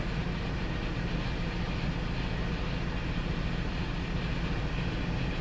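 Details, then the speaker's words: 2002 Ford Explorer that cranked but wouldn't start now idling rough and smoking, low rumble stumbling irregularly three to four times a second; bad misfire, running lean on bank 1, suspected fuel pressure problem. "This is running rough, guys. And it's smoking."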